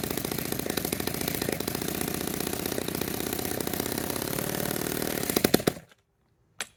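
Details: Restored 1946 Power Machinery chainsaw (Vancouver, BC) fired up after restoration; crisp, rapid two-stroke buzz runs steadily about five seconds, a few blips, then cuts out: engine running properly.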